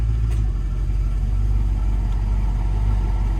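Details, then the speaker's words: 1974 Jensen Interceptor Mk 3 idling as its newly installed R134A air conditioning comes on: deep, even idle with only a slight shift under the compressor load; engine runs smooth and healthy. "And you can also hear the engine change."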